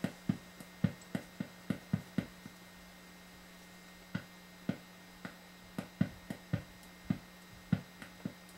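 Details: Ibanez Gio electric guitar, plugged into an amp: steady mains hum under irregular sharp pops and crackles about one or two a second from an intermittent connection; likely a bad cheap output jack, solder looks fine.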